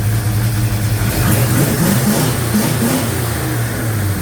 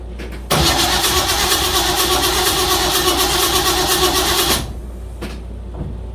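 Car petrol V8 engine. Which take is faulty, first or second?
second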